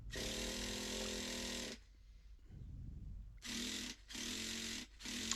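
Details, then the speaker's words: Second-hand Traxxas Nitro 4Tec RC engine, priming with starter and adjusting low-speed needle: loud buzzing starter bursts in repeated attempts, briefly fires loud then cuts, won't keep running; hard starting. "think i'm trying to still trying to prime it it goes to fire as you can hear that it's it's really loud and then it just cuts"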